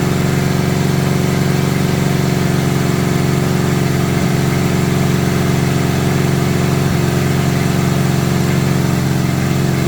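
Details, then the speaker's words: 1970 Honda 600 (N600) sedan revived with a borrowed carburetor and coil and fed from a gas can. It idles at about 4,000 RPM in a steady, fast, unchanging hum and won't idle down because the idle/throttle stop screw is set too tight. "Does idling about 4,000 RPM. Of course, I keep losing my screwdriver. Here it is. Let's see if I can get it to uh Oh, yeah. It wouldn't idle down. So, that must be really too tight there."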